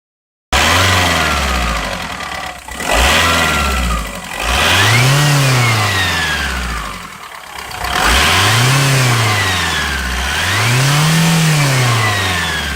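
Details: Audi/VW AGR TDI diesel revved up and down repeatedly: high whistle rising and falling with revs; owner asks if it is turbo whine, not confirmed.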